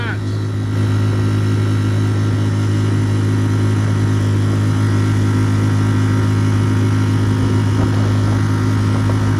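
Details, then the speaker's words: Tohatsu 3.5 outboard on a West Marine PRU-3 inflatable after fitting an aluminium 8.3 prop to fix surging and ventilation: steady, even drone at full throttle with no surging; the prop holds grip; normal full-throttle run. "so it's a dramatic improvement it's fine now"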